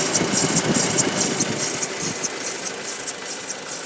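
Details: Audi 2.0 TFSI engine at idle: a quick, fairly even clacking tick, around two per second or faster, plus another odd noise alongside it; cause unknown, owner asking for ideas.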